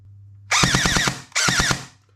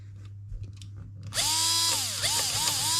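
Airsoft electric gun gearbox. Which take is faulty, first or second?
first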